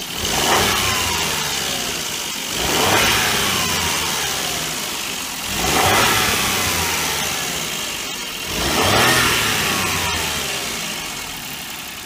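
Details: March 2002 Mazda Laputa (HP22S): each throttle blip brings a gritty whirring whine from the front that rises and falls with revs; engine noise caused by a worn water pump bearing.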